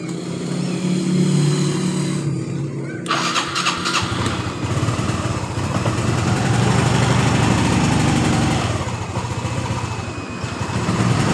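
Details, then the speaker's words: Honda Revo FI motorcycle that was hard to start hot or cold and sputtered, after fuel pressure was restored from zero to 42 psi: engine catches right away and settles into a steady, even idle. "perhatikan normal ya teman-teman motor langsung hidup dengan normal"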